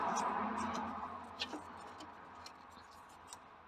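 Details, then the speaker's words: 1964 Jaguar Mk2 that had sat for 15 years, with a possibly non-original plastic fuel pump on the left side: with the ignition on, faint regular ticking about three per second as the pump cycles, suggesting it works. "When the ignition was on, I could hear the fuel pump sort of clicking, so that's generally a good sign, might mean it works."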